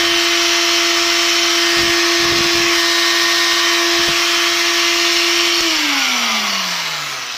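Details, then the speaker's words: Old drill with factory gearbox, old brushes and bearings, freshly greased: steady high motor whine with harsh scratchy hiss, then even wind-down; worn commutator brushes dragging, need sanding with sandpaper and refitting to stop the noise. "jedyne co jest takie, że szczotki trzeba trochę przetrzeć papierem ściernym i włożyć z powrotem, żeby nie wydawały tego okropnego dźwięku, ale mi"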